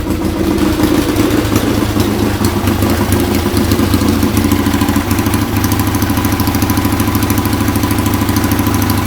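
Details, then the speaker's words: Restored Triumph Bonneville twin, rebuilt from parts, warm: even, steady idle with a relaxed, regular exhaust beat and nothing strange from the pipes; normal idle, running healthy. "And I'll tell you, it sounds good to me, and Good. nothing coming out, nothing strange coming out the pipes."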